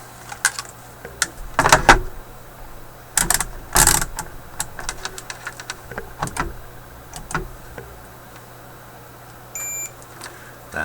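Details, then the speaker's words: Sony ICF-6800W radio, multimeter continuity check on light/S-meter wiring: probe scrapes and taps, then a brief steady high-pitched beep indicating a short. "the sound of a short. We should not hear it, but we should hear it here."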